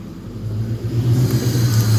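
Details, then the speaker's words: Car with a failed-PCM and O2-sensor warning: the low idle swells and sags as the AC compressor cycles on and off, and the compressor is noisy; idle surge, owner suspects the compressor is broken. "see it's going up down up down and you can see the compressor turning off and on"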